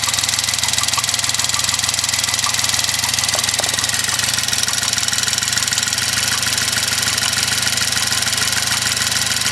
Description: Just a vid to help with explaining the noise my car is making.